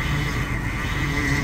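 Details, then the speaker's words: Steady low idle rumble with a faint constant whine on a vintage RV with a Chevy Hydroboost after replacing the leaking hard power steering line to the steering gear; air in the system needs bleeding, no leaks seen. "definitely have to bleed the system a lot of air"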